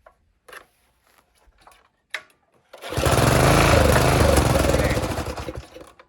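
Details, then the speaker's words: Old Briggs and Stratton tiller engine that sat for years, starting fluid sprayed under the breather: quiet after pulls, then catches and runs a few seconds before fading out; ignition is fine, fault is the carburetor not delivering fuel. "and y'all see that engine just fired up and run but you don't want to spray too much starting fluid in a gas engine because you can lock them up but just that little bit in a breather that's enough that this thing cranked so I know it's nothing wrong with the firing system all it is is the carburetor on here"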